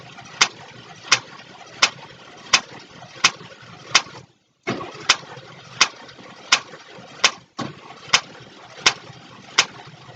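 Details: 1962 Cadillac Sedan Deville, cranked slowly with timing far off and distributor out: sharp pops about 85 a minute with brief gaps, from a lifter or valve sticking and snapping back down, suspected of bending a pushrod.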